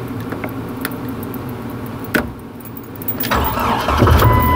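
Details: 1997 Jeep Wrangler no-crank fault traced to wiring and a faulty replacement ignition switch; with the old switch back in: key clicks, then the starter turns the engine over steadily and it catches; starting system working normally.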